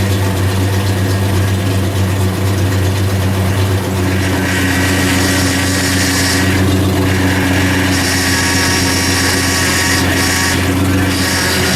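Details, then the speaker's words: 1997-2006 Jeep Wrangler TJ idling after steering gear box replacement, first start before bleeding: steady idle with whirring whine and light chatter from power steering pump; air in lines, fluid bubbled up, hoped to clear. "Definitely a lot of air in the lines. That's what that noise was. So the power steering fluid is all kind of bubbled up right now. So it's going to chatter."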